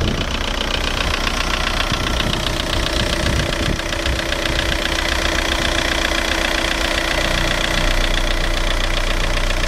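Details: VW 1.9 TDI (ASV, 110 hp) diesel at idle: deep, fairly regular knock about two to three a second, traced to the bottom end; no definite cause or fix found.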